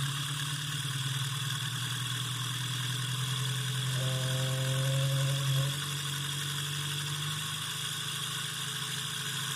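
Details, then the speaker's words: Homemade DC motor spinning at high rpm: a fast hum with a coarse buzzing vibration. It ran smoothly at first, but a tiny shaft imperfection grew into a significant imbalance. "um now that vibration that you could hear that wasn't happening when i first started the motor in fact it was running so smooth at first that i thought it would always stay that smooth"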